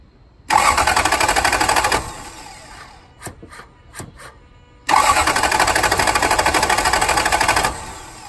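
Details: 1999 Toyota Land Cruiser 100 Series that cut off while stopped in reverse, with new fuel pump, filter, plugs, coils, cam and crank sensors, MAF and timing belt: two long bursts of even starter cranking, never catches; cranks but no start.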